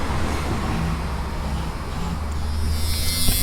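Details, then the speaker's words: 1988 Jeep Cherokee XJ rear hatch washer: with connections swapped, the washer pump gives a thin, even, high-pitched electric whir when the button is pushed, so the pump is good; the switch or wiring is suspected instead. "I can hear the pump going when I push this that means the pump is good"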